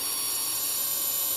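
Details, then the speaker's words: Joule ringer with a home-wound transformer, running on a 50 V 9,700 µF capacitor with the light cranked up and drawing a lot of power. A thin, high, steady ringing whine holds, then the oscillator drops out of frequency as the capacitor drains; re-energizing restores it. "right in there so it dropped out re-energize it and it stays in that frequency"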